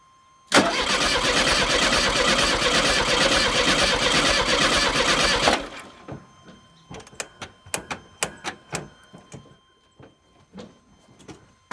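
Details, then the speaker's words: VW Super Beetle, first crank after long storage with fresh gas, oil, new battery, coil wire disconnected: steady cranking with one stroke quicker than the other three, uneven cranking suggesting low compression in one cylinder; compression test planned. Cause suspected, not confirmed. "if you're a mechanic or mechanically minded you'll notice as i did that it sounds like we have a compression issue we have three cylinders that sound about the same as it turns over and we have one that goes a little quicker a little faster"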